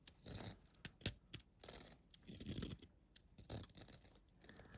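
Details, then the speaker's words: Sunbeam electric pendulum clock, time and alarm setting wheel turned by hand during service: irregular dry scratchy rasping in short bursts, plastic grinding on plastic; sounds unlubricated, cause unconfirmed. "Oh, that's a lovely sound. You can hear plastic grinding up against plastic. Holy mackerel, that sounds dry, whatever that is."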